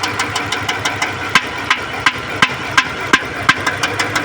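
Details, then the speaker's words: Idling Dodge petrol engine with sharp, irregular firecracker-like pops about three a second, a clear misfire; plug leads to be pulled one at a time to find the cylinder. "आवाज एकदम आती इसके पटाखे की तरफ fire मार रही है।"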